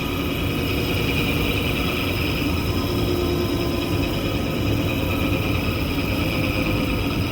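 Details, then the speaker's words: Kitchen AC unit's blower motor starting up: steady rough drone with a faint whine, worse under load, from bad bearings; motor to be replaced, unit had run for months with plugged filters and was filthy, causing low airflow. "This motor's got bad bearings. Let's listen to it start up. It doesn't sound good, and even worse when you put a load on it."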